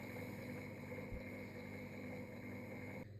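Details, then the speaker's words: Sewing machine that suddenly revved to full speed, run through a variac with a damaged cable: steady high motor whine at one constant pitch with the foot pedal untouched, then cuts off; runaway fault later located inside the machine, not the pedal. "yes as you can see i'm not even touching this and it's running something is broken inside of here"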